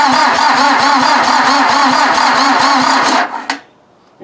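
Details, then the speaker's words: VW diesel engine (in Mazda offroad build) cranked via jumper cables to starter, no battery: starter churns about four even beats a second then stops without catching; number one glow plug missing. "I was cranking it and cranking and cranking it I managed to get fuel 2 2 & 4 just barely 1 & 3 had no fuel the injection pump was not pushing any fuel"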